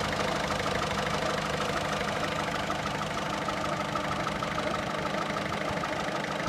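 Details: 1.6 HDi 90 hp diesel idling: steady clatter with a faint repeating tap, about two per second, over the running note. Abnormal engine noise; cause unclear.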